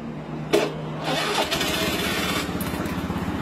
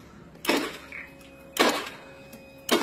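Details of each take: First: Honda Beat FI scooter with a click-no-crank complaint, repeat test with the starter jumped directly: brief starter whirr, then the engine catches into a steady idle with no grinding or slipping; starter motor and bendix are fine. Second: Honda Beat FI scooter with a new battery measuring 12.42 V and a working horn: the starter gives sharp clicks about a second apart but does not crank, and voltage has not dropped.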